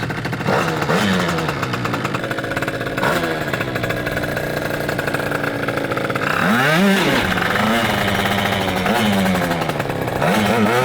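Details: Yamaha Aerox moped, built to be the UK's fastest street-legal moped and just professionally set up by PM Tuning; sharp crisp revs rise and fall quickly with clean pickup, no misfire or knocking, engine healthy.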